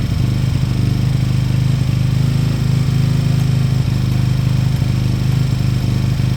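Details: Beaten-up old Lexmoto motorcycle, many parts missing, idling after revival; steady, even low putter with no knocks or ticks. Fuel then turned off, engine judged great, needing only new oil and a small service. Normal idle.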